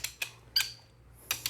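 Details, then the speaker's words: Brian Crower 94mm stroker 2JZ engine assembly: a brief, high chirp as a bolt turns under the wrench among ratchet clicks; dry threads binding and squeaking from friction, so the bolt needs lubricant. "But that squeak is going to turn into a creek. That creek is the friction."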